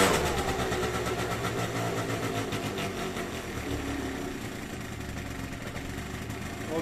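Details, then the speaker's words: 2009 Yamaha Zuma, first start after a carburetor clean: the engine catches, runs slightly uneven, then settles into a steady putter with no knocks or misfires. Normal running. "can't get much easier it's running good it's gonna take for a little test ride I'm going to warm up one's perfect smooth love it"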